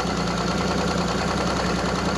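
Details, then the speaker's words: Evinrude E-Tec 90 outboard after repairing frayed injector wiring, running during diagnostic software dynamic test: even steady beat, no misfire or stumble; disabling injector one now affects running and no active faults show; healthy. "disable injector one stops it running properly whereas before it was doing nothing oh that's good"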